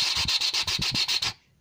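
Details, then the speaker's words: 2003 Mini R50 front wheel hub turned by hand with driveshaft out: dry gritty rasping in quick pulses, long heard while driving, right side thought worse; worn front wheel bearing, replaced. "Je fais bien hein, le bruit du roulement tout pourri. Là, voilà. C'est quand vous entendez ça, vous entendez un... C'est pas bon."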